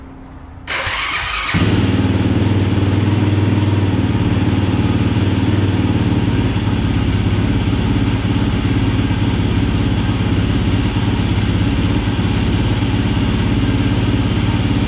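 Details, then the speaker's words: 2007 Yamaha YFZ450 SE single-cylinder quad during a build, after fitting a new starter relay and with the clutch safety switch clicking: the starter catches quickly and it settles into a steady, even idle thump with no misses; normal start and idle. "um all right she's running lane you can hear from the puppet she's"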